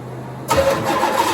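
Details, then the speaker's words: 1987 Corvette C4, under 86,000 miles, sat for years, new injectors, suspected bad vacuum leak from unsealed part: quiet then sudden ragged burst of firing that fades after about a second; starts briefly then stalls. "Guys, so that was awesome. It actually fired up. It ran for, I don't know, maybe a second or so."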